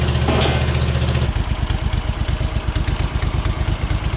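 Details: Hustler Super Z mower, Kawasaki engine with 1900 hard hours, idling after rebuilding the 66-inch deck (deck, spindles, pulleys, blades, tensioner; blades previously hit each other): steady, even low thump, no misses, knocks or rattles; normal idle.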